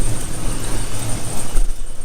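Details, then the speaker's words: 2500 HD that hadn't run for a year, at idle: loud, uneven exhaust rumble with a massive misfire and a large leak at the exhaust manifold donut gasket. "we also got a massive leak there at uh at the donut gasket coming off the exhaust manifold"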